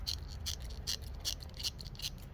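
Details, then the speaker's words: BMW squeaking toward the rear in reverse, persisting after rear bearing and brake replacement and after lubing; six sharp high chirps about every 0.4 s as the worn driveshaft flex disc (guibo) is worked by hand. "I changed the rear bearing on this car um the brakes and it still made the noise and it turns out it's the guebo you can hear"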